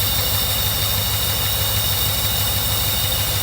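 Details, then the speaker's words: 1982 Mercedes 380SL V8 with the faulty idle speed control module disconnected and a nine-volt battery feeding the idle speed control valve; idle brought down to about 500 RPM, low and even with steady pulses and hiss. "simulate the voltage to the idle speed control balance get it once brings it right down to 500 RPM about right"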